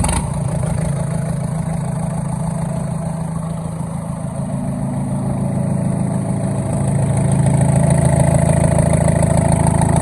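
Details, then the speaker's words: Old Komatsu bulldozer diesel after freeing a stuck injector and bleeding the fuel system; deep, even thrum with a steady firing beat that picks up smoothly as revs rise, all cylinders pulling, smoke cleared; normal diesel running. "I got everything bled out and it cranks up now runs good and I believe that cylinder fixed itself"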